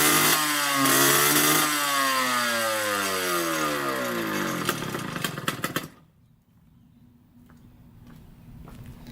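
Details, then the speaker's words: 1986 Yamaha YSR 50 two-stroke after carburetor refit and bump start: crisp blips up high that fall away cleanly through the revs before cutting off; it revs freely and strings out, sounding healthy. "It sounds so good. Really, really strings out too. Pretty sweet that it runs."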